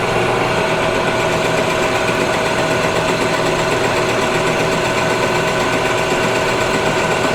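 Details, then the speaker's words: Cheap used non-CNC manual lathe taking a light cut in steel, spindle RPM possibly a bit high for steel: steady even cutting hiss with constant mid-pitched tone, no knocks or chatter; runs very well, good finish. "ồ vâng, nó đang chạy rất tốt, nó là một chiếc máy tiện thực sự tốt"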